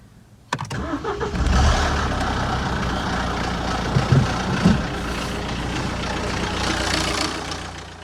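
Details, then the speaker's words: 2013 Mini One 1.6 D with BMW N47 diesel, suspected timing chain problem: engine starts and idles with an uneven metallic clatter like a bag of nails over the diesel knock; cause not confirmed. "So, yeah, now it still runs, it still starts and it still runs, but it sounds like a bag of nails."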